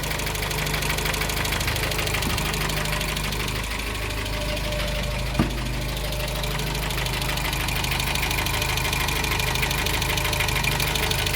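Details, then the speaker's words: 1987 Dacia 1310 (Renault 12) at idle: regular knock about three per second from the bottom end, unchanged after bearing replacement; owner suspects piston pin or connecting rod, mechanics earlier suggested cylinder 1 lifter, later possibly piston skirt. "deci bătaia asta Probabil că este fie pusă de vion fie Bolt"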